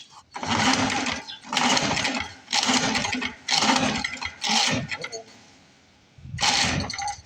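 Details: Lawn-Boy MAG 21 mower left sitting about 15 years, oiled and primed: repeated one-second pull-cord bursts with fast rasping spin and long pauses; engine never catches, cranks without starting, owner suspects fuel not reaching carburetor.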